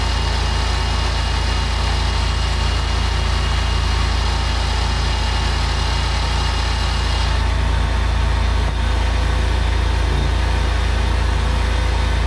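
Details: BMW N47/N57 diesel at idle after replacing crankshaft pulley (damper), drive belt, tensioner and idler pulley: steady, even clatter with constant low drone, no squeal, chirp or knock from the belt side; healthy.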